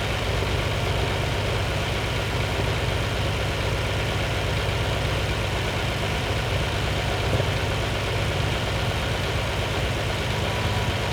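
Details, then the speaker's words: Lamborghini 350 GT V12 (chassis 109, sixth production Lamborghini) after restoration, idle mixtures just tuned cylinder by cylinder to optimum, before first road test since rebuild: even, steady low hum, no misses or hunting; well-balanced normal idle. "and that is pretty lovely that's ready for a run clear it out be lovely"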